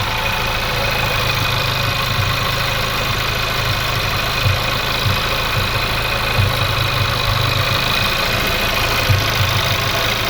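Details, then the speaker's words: VW Polo R Line 1.2 TSI petrol idling after new spark plugs and air filter; mostly steady idle with a soft stumble every couple of seconds, an occasional misfire; owner plans fuel filter change. "every now and again for a little miss my thing I mean that is running 10 times better than what it was before 100%"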